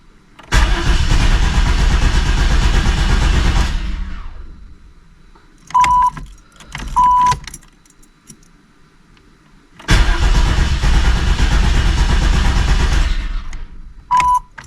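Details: 1988 Chevy Camaro RS, fuel-injected, sat over a decade; fuel heard flowing during fuel system work. Two long bursts of steady starter cranking between door chimes with no catch or firing; cranks but won't start, cause unconfirmed.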